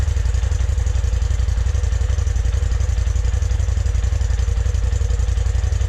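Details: 2020 Polaris RZR Turbo S Velocity on stock exhaust, before Trinity stage 5 slip-on install: deep, even exhaust pulse about three beats a second, steady and low, no knocks or rattles; normal idle and revving.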